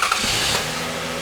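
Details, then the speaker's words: 2000 Lexus ES300 bought as having a dead transmission: a quick crank catches at once and settles into a smooth, even idle with no knocks or misses. Normal start and idle; the engine is healthy, though the car won't move in gear. "Engine sounds good. It started right up and it runs really well."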